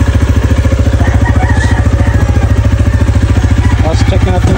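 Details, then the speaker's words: KRV motorcycle after hard starting blamed on a faulty ECU (fuel-soaked spark plug, check engine), now fitted with a replacement ECU: starts instantly on one press, steady single-cylinder idle at about 2.5 even pulses a second, no misses. "Okay one start ang bilis millisecond lang andar na agad"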